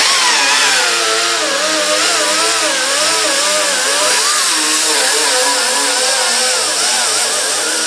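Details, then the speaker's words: Angled die grinder with a fiber disc stripping paint remnants from a 1968 Triumph TR250 fender: high whine wobbling in pitch as the disc bites and eases, with scratchy grit on top; normal die grinder operation. "so we'll just go with the die grinder and the fiber disc to start getting some of the remnants of that little paint off so here we go"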